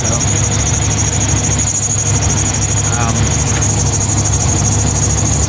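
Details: 2000 GMC K2500, Gen 6 Vortec 7.4L 454 big block, just restarted after stalling fix: steady high-pitched squeal constantly over the idle from a slipping serpentine belt, cause not yet pinned down.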